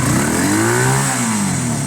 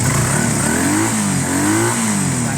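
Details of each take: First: Honda CB250 bobber after cleaning spark plugs and resetting gaps, freshly completed carb: engine picks up cleanly, sweeping up and down through the revs with no misses or popping; much better, though owner notes a slight flat spot at half throttle. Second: Honda CB250 bobber twin: revving with throttle blips, brief stumble when snapped quickly to half throttle, a flat spot there.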